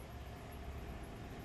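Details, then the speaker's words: Crown Vic engine jump-charging a dead Rivian R1S LFP 12V system: deep uneven chugging as idle sags and nearly stalls under heavy alternator load when the contactors close to charge; revving toward 1500–2000 rpm suggested. "Yeah, cuz it's it's you can hear it chugging in load load load and it's pulling the engine down on that."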